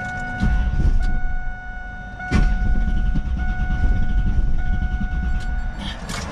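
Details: Car with newly changed mixed spark plugs and a burnt-through plug wire, broken down roadside after cooling off: starter cranks in uneven bursts but engine never catches; cranks, no start, cause unclear.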